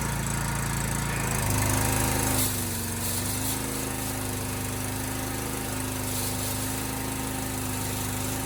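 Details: Honda GX390 pressure washer engine, started after carburetor cleaning for flooding and fuel leaking: catches after a brief crank and settles into a steady, even run. Sounds healthy.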